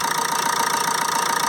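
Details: 2007 Ford Transit Connect 1.8 TDCi, earlier crank-no-start with P0087 low rail pressure, idling with injector leaks checked dry: even idle with quick regular pulse and light clatter, no misfire; healthy.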